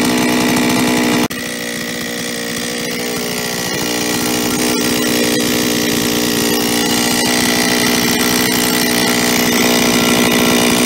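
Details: Solo 644 chainsaw near idle with many operating hours: metallic rattle on the engine note from a worn piston with 0.12 mm clearance in the cylinder, before piston replacement; piston slap at idle.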